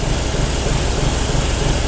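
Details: 2021 Honda SH 125 FI after servicing, idling for five minutes as the diagnostic scanner requires. It makes a deep, uneven, tractor-like chugging instead of a smooth hum.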